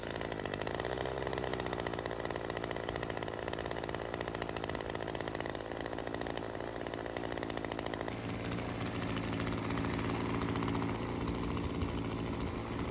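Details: Ryobi CS30 two-stroke trimmer on a test run after teardown, with a homemade intake gasket and a replacement adjuster. It buzzes high and hunts, revs rising and sagging; running lean, air leak suspected from the homemade gasket.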